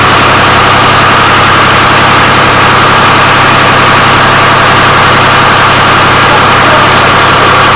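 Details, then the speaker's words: Restored 1993 Lombardini diesel generator engine, first run, on an old weak battery: steady, even diesel clatter at idle, no knocks, misses or surging; oil pressure light went out instantly. Normal idle. "as soon as chris started it up that's the oil pressure it went out instantly so we've got great oil pressure"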